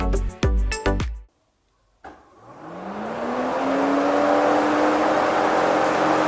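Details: Upgraded electric radiator fan fitted outside rather than inside on a 1962 Jeep Willys, switched on: after a burst of music the hum spins up smoothly and holds an even, clean tone without rattle or scrape; normal fan operation.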